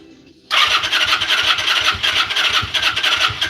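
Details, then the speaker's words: Vulcan engine start attempt after priming and adding fuel, likely too much gas: silence, then a sharp pop into hissy, squealing cranking with uneven chuffs; backfires out the intake instead of firing. "All right, so it did backfire out of the uh intake."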